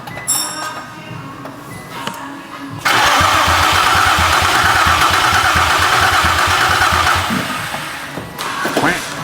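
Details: A 2005 Infiniti G35 cranks at a steady rhythm for several seconds but never fires after a harness swap; a crank-no-start. Strong fuel smell is noted and the fuse boxes are being checked for injection or ignition.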